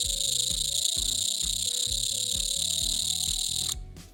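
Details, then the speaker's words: Amptron PM-9600 Socket 7 motherboard (ALi M1531 TX chipset) at power-up, microphone close to board speaker: jumpy buzzing tones stepping up and down in pitch under constant high hiss, motorcycle-like. "it looks like a motorcycle is it this is a monster cycle this is not a motherboard I know it doesn't really make much sense but this is quite weird"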